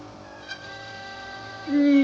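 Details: Nivona/Melitta espresso machine during rinse: sudden loud, steady squeal from the brew unit side, persisting after a valve needle swap and seal work; the crema valve is to be replaced next.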